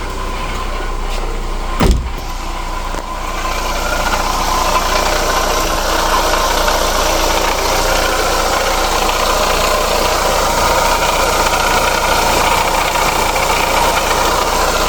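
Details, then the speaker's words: Chevrolet Lacetti idling before repair: steady rough growl with faint fast ticking underneath; water pump diagnosed, removed pump found knocking. Worn water pump bearing. "Lekin ovozi bor, normal taqirlayapti. Zorada ko'rsataman. Xo'p, mana bu pompani skipi. Ovoz eshitilayotgan bo'lsa, taqraq ovoz beryapti."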